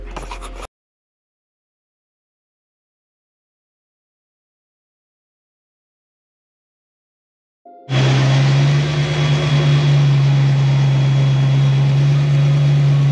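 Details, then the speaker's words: 1987 Mustang (McLaren) with a new motor on a Terminator X system, first run after sitting a while and smoking slightly. After a pause it settles into a loud, steady, elevated drone that never drops; high idle needing adjustment. "so hey y'all so i got it ready but it's island kind of high and [Applause] i'm gonna have to do some adjustments"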